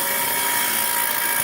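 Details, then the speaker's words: 2001 Dodge Grand Caravan at idle after transmission and torque converter reinstall: constant high whir with thin steady whine, no knocking, new since the work; seems from top of engine, owner suspects the starter. "I actually not sure what it is the sounds like is coming from the top of the engine but I'm also thinking that it might be my starter that's bad so I'm going to go ahead and shut this off"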